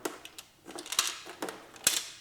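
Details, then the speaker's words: Filthy Atari 4-switch console tipped by hand: irregular clicks and tinny rattles inside; owner suspects a screw or broken piece loose, though screws are present and a corner is broken off; cause unconfirmed. "I don't know what that is. Sounds like a screw or something broke off."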